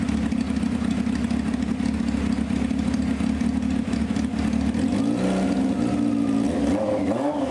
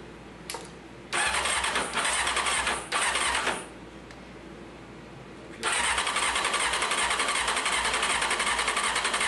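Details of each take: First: 1995 Honda CBR F3 just revived with new plugs and oil and bottle-fed carbs: a loud, steady four-cylinder bark with crisp throttle blips and an even rhythm. It sounds really solid and healthy; carburetor leaks are found afterward. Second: 1995 Honda CBR F3 after sitting, new plugs and oil, fuel poured directly into cylinders, fuel pump untested: short cranking bursts with brief catches and pops, ragged run that won't settle; fuel starvation, not getting gas.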